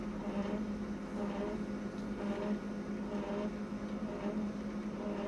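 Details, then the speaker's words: Konica Minolta printer, about three months old, printing: rhythmic squeak about once a second over a steady low hum, getting louder; not considered normal for a new machine, cause not identified. "listen to that squeak folks that is terrible don't even have to stick the find inside the machine I don't think it's terrible me dead that's getting really loud listen to that"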